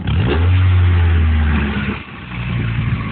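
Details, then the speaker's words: High-mileage 1994 Ford Probe, gutted catalytic converter; quick throttle blip, revs rise cleanly and fall back to smooth idle without stumble; runs well, normal throttle response. "for as many miles as on it it runs pretty damn good"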